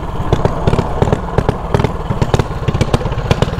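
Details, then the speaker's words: Single-cylinder mini bike with quarter-turn race throttle, running an oversized 180 carburetor main jet instead of 105, leaking gas, can't reach full throttle; uneven stumbling putter with no crisp pickup; rich bog from oversized jet. "too much gas getting into the carburetor y'all see that that is the way big of a jet"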